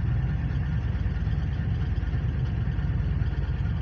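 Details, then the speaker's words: Ford (1997 F350 7.3 Powerstroke, 1999 F250 5.4 or 2004 E350 5.4), 188,153 miles, also leaking fuel, hard to start: rough V8 idle with uneven low puffing beat, stumbles and ticking exhaust chuff; exhaust leak causing the misfire. "this thing has an exhaust leak so my dad's going to put it up online because it's you literally have to take everything off to just to fix the exhaust leak that's what's causing it to miss too"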